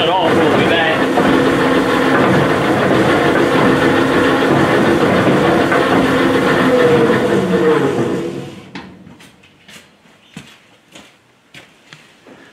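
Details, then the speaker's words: Lee & Hunt vertical slotter, previously fully seized and now freed to run, with the cam eccentric and lever arm missing: a heavy, regular clunk about three times a second continues as it coasts down; knock cause not yet found. "but now that it runs and it's got as you heard it's got a nice clunking up which well good while trying and see if we can see what that is"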